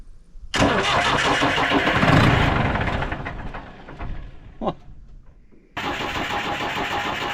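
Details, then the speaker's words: Digger diesel engine being started after a new filter. The starter churns steadily for several seconds, slowing as it goes, and never catches. Crank with no start; the battery is possibly flat (unconfirmed). "sounded like she was gonna fire right up."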